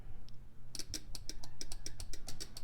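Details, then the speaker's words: Bench test of a relay from a 1965 Nova Wagon Delivery that overheated: with one coil pin grounded and the other given voltage, there is a crisp click on each energizing, six to eight in quick succession. The relay switches properly. "right every time I complete this circuit I'm gonna hear that click"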